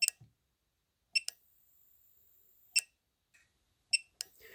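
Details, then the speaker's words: Known-good AdBlue injector, ref 9802763880, off-car on bench power, compared with the leaking old one that made no sound, for a 2016 Citroën C4 Cactus 1.6 BlueHDi 100 hp at 255,000 km: sharp single click on powering; solenoid switching normally. "Alors, j'y alimente. Ça a fait clic."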